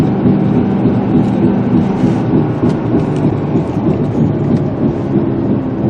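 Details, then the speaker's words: 2005 Ford Explorer on a cold January test drive, heard inside the cab at speed: a low droning boom pulsing about three times a second over road noise, barely noticeable from outside; a worn front wheel bearing. "You hear that boom, boom, boom, boom, boom, boom, boom?"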